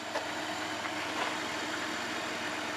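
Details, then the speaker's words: Van idling smoothly right after being jump-started with a Cen-Tech 750 peak amp jump starter from a badly drained battery; quiet, even, steady hum with no misses or knocks; normal idle. "Okay, so the van is running, that's a good thing."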